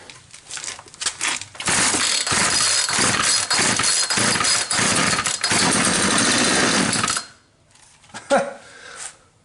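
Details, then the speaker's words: Poulan Pro 220 38cc chainsaw, found with bone-dry tank, run on starting fluid sprayed into the carb: fires and screams at high revs about five seconds then dies; fuel delivery problem, runs only when fuel is fed directly. "if this thing was gotten rid of because it wouldn't run then it's definitely it's from a fuel delivery issue cuz if we put fuel directly into the carb it runs"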